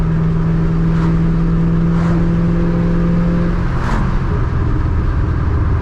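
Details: Ford Mustang 3-valve after removing a restrictor, driving: engine pulls cleanly with open, free-breathing intake rush as revs change, no longer choked, snappier; normal intake sound.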